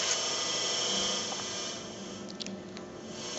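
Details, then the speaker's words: Onkyo TX-SR806 AV receiver, noise when cold or on power up; steady high-pitched hiss with faint thin tones in audio output; digital noise from failing capacitor on digital board, fixed by capacitor replacement. "it's got a Digital Data noise so how would you go about troubleshooting this problem"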